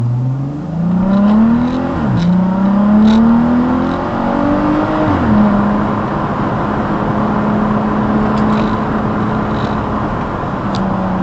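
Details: VW Atlas with aftermarket resonator delete pipe, recorded by dash cam: engine note rises and falls with throttle over a deep raspy drone, worst between 2–3k rpm; exhaust leak from rusted clamps at the pipe joint.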